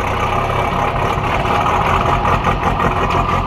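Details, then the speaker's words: Turbocharged Toyota pickup, started cold after a disc brake conversion: steady, slightly uneven, busy lumpy idle with no knocking; normal cold idle that smooths as it warms. "is cold, so she's gonna be sounding like that for a little bit."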